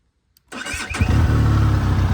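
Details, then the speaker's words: Benelli TRK 502X restarted after standing about two months: brief starter whirr, then it catches within a second and settles into a steady, deep idle. Battery is OK; normal clean start. "Battery okay है। हां अब मुझे लगता है अब मसला नहीं होगा।"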